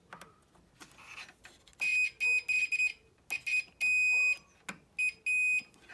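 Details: Austin Allegro 1300 SDL, multimeter on continuity testing earth at side light and indicator on both sides: short high beeps in separate bursts over quiet workshop background; meter sounds each time, earth connection good.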